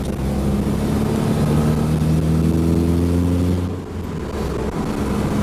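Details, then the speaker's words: Nissan 240SX KA24DE on test drive: loud, rough exhaust drone rising with revs from an exhaust leak where 2.5-inch headers meet 3-inch pipe; owner plans an adapter to fix it; solid subframe adds whine. "bought this converter on eBay that will convert it from 2 and 1/2 to 3 so I won't have that exhaust leak and my exhaust one sound is bad"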